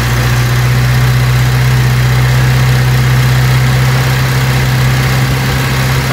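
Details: Vauxhall Cavalier Mk2 after new distributor cap and rotor arm (previously missing until warm): strong even low hum at idle, no misses or stumbles, smooth and steady; normal idle.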